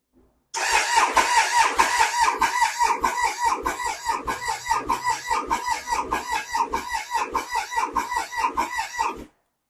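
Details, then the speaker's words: Triumph Sprint 955i, 28,294 on the odometer, left sitting for years: starter churns in steady pulses with no firing; fuel pump not heard priming, likely no fuel delivered, tank to be removed for inspection. "Okay. But I can't hear the fuel pump prime. That also says there's no fuel in it. But the fuel pump's not priming."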